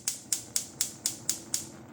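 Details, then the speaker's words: GE TrueTemp gas stove, burner knob turned toward light; seven sharp high snapping clicks about four per second in a quiet room: normal igniter clicking. "So that's the igniter. That happens, that's the clicking you hear, as you turn towards light."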